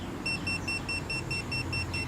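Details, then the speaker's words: Milwaukee M18 Hot Shot JS2000 jump starter with its clamps bumped together: repeated short, high-pitched beeps, about eight in two seconds, evenly spaced, with an E1 error code shown; short-circuit warning. "As you can see down on the screen, E1 error code telling you that there is an issue."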